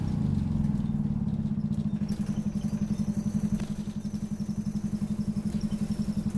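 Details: Optare Solo bus OS20 YJ12GVR on route 309, Poplar to Canning Town, with squeaky noise: coarse rapid rhythmic throbbing at steady revs, heavy and rough for a diesel, motorbike-like; engine thrash, cause not pinned down.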